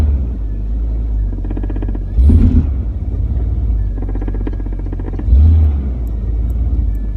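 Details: 1999 Jeep Cherokee XJ in Drive under light acceleration: fast rattling knocks and roar with each throttle push, fading off throttle; exhaust pipe knocking on the crossmember, temporarily fixed. Differential bushing and motor mounts checked fine.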